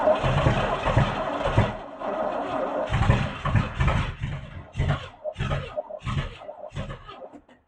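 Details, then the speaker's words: Camaro barn find parked 32 years, Quadrajet carburetor fed fuel directly, throttle held open: long cranking bursts with uneven chuffs and pauses, never running on its own. Cranks but won't start; leaking accelerator pump suspected. "Wants to go. It's too bad the Quadrabog doesn't have a fuel bowl that's easily accessible."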